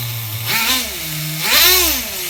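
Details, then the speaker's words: HPI RS4 Nitro F150 pickup RC truck glow engine on 16% nitro, new LC3 glow plug, retuned after overheating to ~350°F: a few turns of the screw restore a steady high buzzing single-stage idle that settles cleanly between rev blips. "I don't know if you guys seen that but just a few turns of the screw I achieved single stage idle again"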